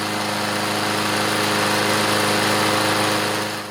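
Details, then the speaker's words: Craftsman push mower with newer Briggs OHV engine, test run on a cold, windy day before service: a steady high-pitched drone with no misses or stumbles. Running normally on its own. Pull cable is getting hard to pull. "let it run Let's test it we'll get to that later here we go on its own sounds good"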